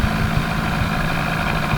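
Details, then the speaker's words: Johnson 4HP twin-cylinder two-stroke outboard on the River Weaver, needing choke even when hot, in gear at about 2.8 mph. It makes a low, slightly uneven putter that sounds lumpy but eager; the cause is not obvious. "At the moment, it sounds lumpy, but it also sounds like it wants to give something."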